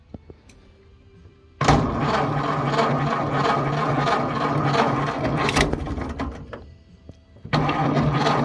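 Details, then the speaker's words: 1931 Ford Model A, 200.5 cu in flathead four, 4.5:1 compression, off the road 65 years. First start with choke and starting fluid: catches after a long crank, runs lumpy, surging and dying back. Flooding from a fuel-dumping updraft carburetor, pulled for cleaning. "Well, I pulled the old updraft carburetor off because it was dumping fuel, as you guys saw. And we're going to go ahead and go through it and just clean it up. See if that helps it run better at least."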